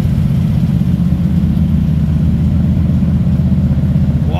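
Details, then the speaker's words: 1946 Ford pickup flathead V8, Offenhauser aluminum heads, three deuces, 12 V, electric fuel pump, heard from the rear, carbs due service for old gas: deep, even burble about four soft pulses a second, no knocks or misses; normal idle. "love the sound of this thing that sounds smooth we're still going to service the carburetors on this because it had really old gas in it"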